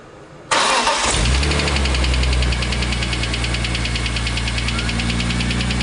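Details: BMW M3 E46 S54 petrol engine settling into idle with a steady, rapid knock ticking over its low hum; knocking began a few days after a racing event; later solved.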